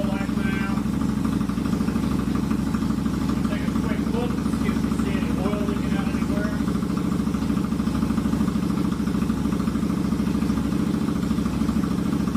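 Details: Royal Enfield Continental GT 650 twin at idle in neutral, just after a valve adjustment and first oil change; fires right up, steady, even idle with a smooth pulse and no ticking or knocking; healthy.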